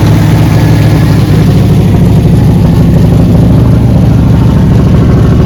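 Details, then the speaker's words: Camaro V8, started after sitting 6–7 days in alternating cold and hot weather: a deep, loping idle with a slightly uneven beat and no steady rhythm. The engine is idling rough. "Again, she's not going to idle good. It's not going to be the perfect idle, but at least you'll be able to hear it start up and see that it is operating and getting itself ready to go."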